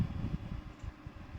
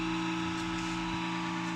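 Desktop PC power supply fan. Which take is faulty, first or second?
second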